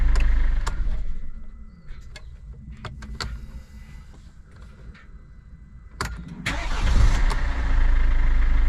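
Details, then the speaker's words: Mercedes Vito W639 2013, OM651 2.2 diesel, second start after timing chain tensioner replacement: catches near six seconds and settles to steady idle with no chain rattle; normal start. "Wow. Okay, the second time seems okay. So now I don't have any rattle."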